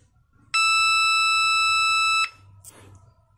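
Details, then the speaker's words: Homemade 9-volt continuity buzzer tester on a coil/inductor winding. One steady beep under two seconds, lower in pitch than a direct short because of the slight resistance, with no dropouts. The winding is intact and connected normally. "nah bunyinya beda ya frekuensinya itu agak lebih rendah ini kan frekuensinya tinggi ini agak rendah berarti ini normal terhubung karena ada hambatan sedikit"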